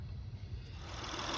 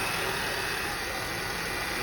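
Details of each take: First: 2004 Honda Accord V6 (J30/J32) idling with serpentine belt removed to chase a loud under-hood whine: steady even low hum, whine gone, pointing to a tensioner/idler pulley or power steering pump. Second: 2004 Honda Accord (J30/J32 V6) idling: a thin whine from the serpentine belt drive side, rising with revs and changing pitch in gear and on the road. Replacing the alternator didn't fix it; power steering pump ruled out. Tensioner/idler pulley bearing suspected.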